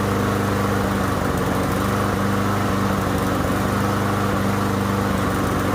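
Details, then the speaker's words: Yard Machines mower with Briggs and Stratton engine runs rough after running the tank low, likely debris sucked into the carburetor; loud ragged chugging, hesitating and cutting out, blowing black smoke. "And I don't know if you guys noticed that, but when it was hesitating and kept cutting out like it was going to try to turn off, it was blowing black smoke out of this here."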